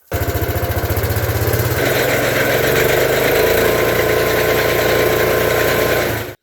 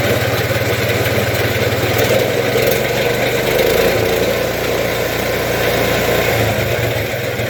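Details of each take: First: Case Ingersoll Snowcaster snow blower after auger bearing replacement, shaft with no play: steady, even engine drone with the auger spinning smoothly, no knocking, rattle or grinding; auger running normally. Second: Case Ingersoll Snowcaster snow blower auger running with about half an inch of play on both sides: engine drone with a loose, irregular rattling knock three or four times a second; should be quiet. Worn auger bearings.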